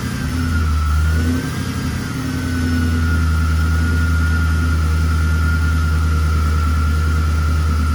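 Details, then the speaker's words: Supercharged V8 Camaro, not yet tuned, just fitted with an extra pulley and a blower lid spacer: deep, steady rumble with a clean blower whine rising briefly on revs, no knock or miss; normal. "Well, she definitely doesn't seem to mind the extra pulley and lid spacer."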